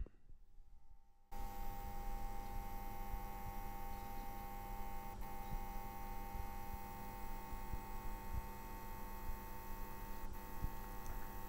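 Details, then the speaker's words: New APC UPS on standby, replacing a ten-year-old unit: a steady electrical hum with a thin high whine and fizz, much louder than the old one. Excessive transformer hum and coil whine, so the unit is to be returned. "I was negatively surprised when we connected it and it was much louder humming in the corner than the old one"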